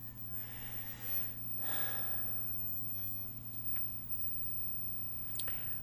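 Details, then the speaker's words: Vintage 23" RCA black-and-white TV drawing about 140 watts on power-up: steady low buzzy hum under faint room noise, with high-voltage crackle mentioned. Owner suspects filter capacitor noise; not confirmed. "140 Watts sounds like like filter capacitor type type Noise"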